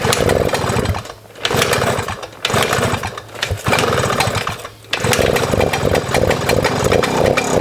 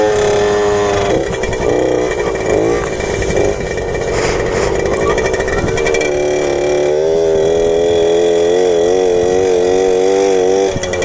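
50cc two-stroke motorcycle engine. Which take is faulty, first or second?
second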